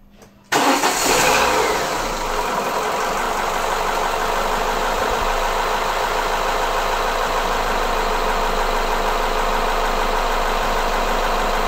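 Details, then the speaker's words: Renault Laguna 16/24-valve petrol engine idling hot with a hard, diesel-like clatter from the timing end, where the worn variable cam phaser (dephaser pulley) sits; early on it appears only with very hot oil. "Sounds like Diesel, right? Sound comes from this place. Here the variable timing phases are located."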